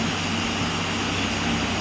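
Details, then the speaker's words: Vacuum pump evacuating a 1-2-year-old fridge after an evaporator leak repair, 15 minutes in: steady, even motor drone with constant low hum, no surging or knocking; pulling down normally. "ভ্যাকিউমে বসানো হয়ে গেছে, 15 minute হয়ে গেছে। তাও আর 2-3 মিনিটের জন্য করছি।"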